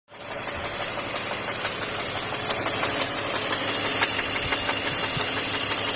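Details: BMW X5 E53 with M54 engine running: sharp, regular knocking about three per second in time with the engine, a connecting-rod knock from a worn rod bearing.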